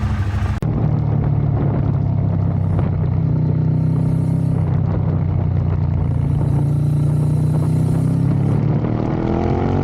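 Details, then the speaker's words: Ducati 848 that previously misfired and lost power, after the shop replaced the throttle position sensor. Revs climb and settle evenly with no stumbling or hesitation. It now runs normally, and the TPS is confirmed as the fix. "So as you can hear, I've got it back from the shop. They've replaced the throttle position sensor, hopefully cured it. It sounds a lot better."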